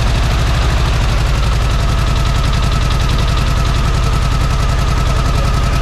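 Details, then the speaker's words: Air-cooled VW Beetle flat-four restart after oil pump/sump cover work: lumpy, uneven popping at about three and a half per second over a low drone; misfire from incorrect plug wire firing order. "that something's definitely not right I mean we had this thing tipped up on the end so the two cylinders that are were down"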